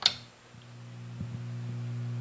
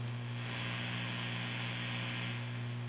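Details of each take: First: Fender Hot Rod Deluxe tube amp after inverter-circuit resistor repair, no input connected: steady low buzzing hum from a failing filter capacitor, to be replaced. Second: Fender Hot Rod Deluxe tube amp after replacing faulty filter caps, fully assembled at full volume: faint steady low hum with light hiss, back to factory power supply specs.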